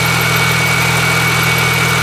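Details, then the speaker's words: Supercharged R53 Mini Cooper idling after a repair with valve and hoses replaced: steady, even, healthy idle with slight belt chirp, no vibration or misfire, no blue smoke; check engine light still on; normal idle. "the engine I think for the first time sounds very happy and healthy I hear the belt chirping just a little bit but look and there's no more vibration no more misfire"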